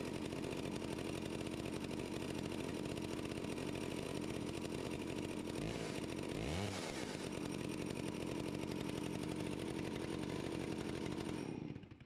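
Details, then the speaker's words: Stihl 041AV anti-vibration chainsaw, 28 in bar, sat at least 5 years, cold start at about 37-38°F after stop switch cleaning. Two-stroke buzz holds steady, dips briefly on throttle blips, ticks over smoothly, then shuts off cleanly with the repaired switch. Normal running and idle. "not too bad for sitting so long it fired right up I don't remember how many pulls that was but it started took the choke off and it just sat there and purred"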